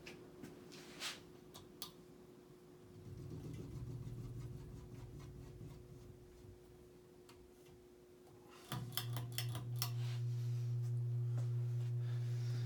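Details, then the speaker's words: Circa-1985 Evergo 4E-6EALW 52-inch hugger ceiling fan, cast-iron motor, on low speed in updraft (reverse); quiet room with light ticking, then a steady low hum comes up and holds; persistent motor hum, likely from rotted-away rubber bushings. "traditionally ever go Union thing and unfortunately the motorhome still is rather persistent as well"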